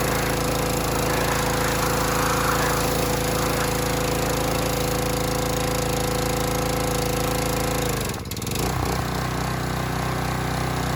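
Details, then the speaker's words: Harbor Freight Predator pressure washer, bought as junk, whose unloader had been misassembled, possibly damaging its seat: steady engine drone and pump whine, then a sudden dip and recovery with the trigger squeezed; unloader cycling, needs adjusting down at the bolt. "so that was the unloader kicking so that was the unloader kicking I might adjust it down a little on that on that bolt"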